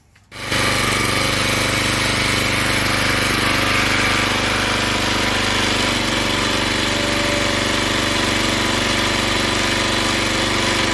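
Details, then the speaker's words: Log splitter engine that stalled under hydraulic pressure, after opening the valve underneath to two full turns out: loud roar with rough hammering under load. It holds on without stalling but still labours; carburetor cleaning planned next. "all right so i have the valve underneath open up to two full turns out and it's much better but it still struggles"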